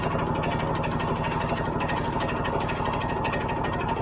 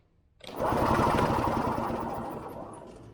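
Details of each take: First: Early-1980s Yamaha G1 two-stroke barn find with a questionable fuel system, started after refilling the carburetor bowl: quick, even popping at a steady idle with no misses or rattles; running cleanly now it's getting fuel. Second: Early-1980s Yamaha G1 two-stroke golf cart, barn find with a questionable fuel system and a new battery; ignition has power. The starter spins the engine with fast, even chugging for a few seconds, but it never fires: cranking, no start.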